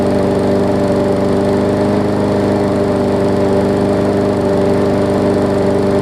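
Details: Newer Murray push mower, after stretching and cutting the throttle spring: steady, even drone at constant pitch with no surging or hunting, normal running.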